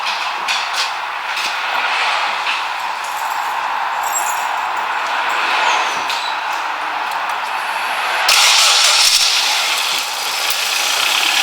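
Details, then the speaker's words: Ford Focus power steering with completely empty system being bled, engine running, wheel turned lock to lock: harsh hiss and groan surging with steering, pump moaning from air; prolonged driving like this would damage the pump. "again that's the noise now that's the noise you can hear which obviously doesn't sound particularly very nice but you you're okay now if you your drive like that for a long time making that noise you would damage your pump but obviously we're just bleeding it"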